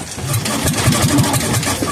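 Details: Kohler K241 that sat for years, two-stroke fuel poured into the cylinder and carb filled: uneven low thumps and a few firing pops while cranking; it dies once the starter-generator is disconnected, firing but not running.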